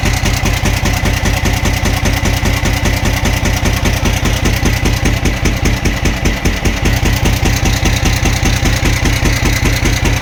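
Steady idle with a sharp, regular knock hammering through it, about two and a half per second; clear engine knock, cause unknown.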